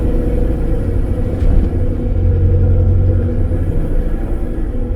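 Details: 1950s Standard 10 driving after fitting a complete stainless steel exhaust system: even deep exhaust rumble, no blowing, ticking or rattling; sounds a lot better, healthy.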